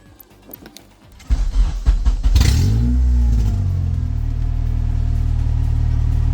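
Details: K24-swapped EK Civic on an eBay harness, mass airflow sensor just wired in and codes cleared, MAF still reading nothing: engine catches after cranking and holds a flat capped rev that never climbs; limp-mode rev limit.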